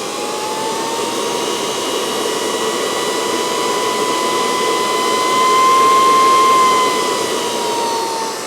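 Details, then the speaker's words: NetGain Warp9 series DC motor on a Curtis 1221C-7401 controller, no flywheel: smooth spin with a clean high whine from the controller frequency that rises then goes away, normal for these Curtis controllers; motor runs healthy. "So there's that whine, and the whine is actually coming from the motor, and it's the frequency. Get up to a certain point, and then it just goes away."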